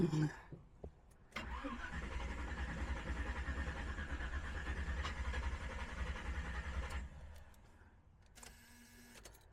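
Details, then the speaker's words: Engine just fitted with Aces Killshot Fusion fuel injection, first start attempt after loose battery terminal: starter churns steadily about five and a half seconds without catching; fuel had not yet reached the throttle body, so cranks long. "All right. Well, it looks like I didn't have enough fuel up to the throttle body yet."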